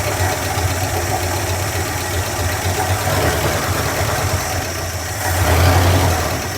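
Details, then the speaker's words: Tired 1976 Dodge 318 V8 with low oil pressure and a shot, leaking carburetor idles roughly, with a busy, loose top-end clatter rising slightly as revs lift; badly worn, noisy valve train. "This carburetor's shot. You'll hear the valve train really bad."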